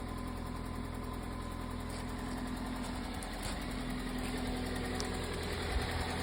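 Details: 2005 Toyota Matrix XR AWD, 1ZZ engine, 258K miles, at idle: light, fast ticking of about three per second from the top end, slowly worsening over months; timing chain tensioner replaced with OEM part 25k miles ago; source not pinned down.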